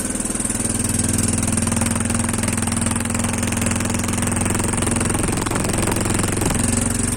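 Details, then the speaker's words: Quad bike with earlier starter problem, started cold: even, steady low putter without knocks or misses, idling a little high while cold; runs well. "Donc il tourne plutôt bien, c'est juste qu'il est un peu haut dans les tours, mais"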